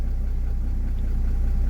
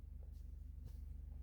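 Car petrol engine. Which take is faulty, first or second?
second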